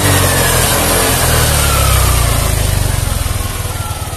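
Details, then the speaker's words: Yamaha Aerox scooter after repair of broken wires at the injector component sockets (complaint: dying when closing throttle or over potholes); no error codes shown, double-starter start catches and settles into a steady, even idle with no misses or knocks. "Seperti ini hasilnya, Teman-teman. hidup."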